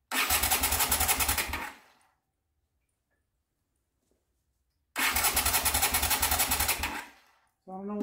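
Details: 1979 Honda CX500 Custom, not run in 2 years, with the tank set on and a fuel line plugged in: two bursts of quick, even starter cranking at about three and a half beats a second with no firing; crank-no-start.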